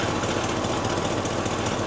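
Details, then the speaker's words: 6.0 V8 in a 2002 Chevy Silverado 2500HD 4x4 idling after differential rebuild: dense raspy crackle over steady rumble from a small hole in the exhaust, to be fixed by welding. "Do you hear the crackling sound? There is a small hole in the exhaust."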